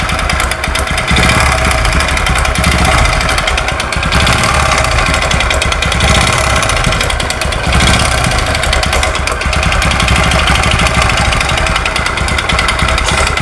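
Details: Honda Supra X 125, carburettor model, with no known history: a harsh, clattering knock across the rev range, louder as the throttle opens. The mechanic provisionally suspects two knocks.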